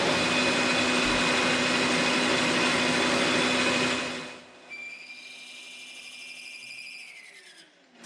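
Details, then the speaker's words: Frick Sawmill idler pulley bushing being machined: boring bar cutting dry with no oil, a steady high, harsh cutting hiss with a piercing tone over the spindle hum; "Fail, you forgot the oil." "Fail. Wayne, you forgot the oil. And oil is important to the success."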